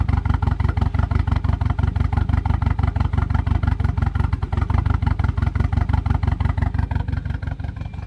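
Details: 1993 Volvo 940 wagon, 2.3L redblock four-cylinder making about 400 hp, cold start after compression test: steady even low thump near three beats a second, rough-edged idle, with smoke on startup.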